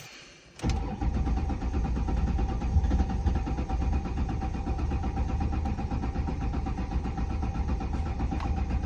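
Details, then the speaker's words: 2007 Ford Mustang 4.0 V6 with a rebuilt engine, new head and new fuel pump, and no error codes. The owner suspects a weak battery. It cranks steadily about four turns a second for eight seconds with a mechanical sound but never fires. Crank, no start. "give it some gas nothing you see it's got it's got gas you can hear like a like a mechanical sound from this area but like that's all you get"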